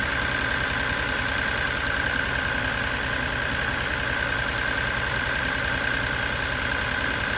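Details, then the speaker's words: Abandoned Datsun 280Z turbo project after rewiring, idling jump-started with the battery suspect: fast, even light ticking of about three or four per second; owner thinks it is the injectors but is unsure. "What do you guys think that sound is? Not over there. I think it's the injectors, but I don't know."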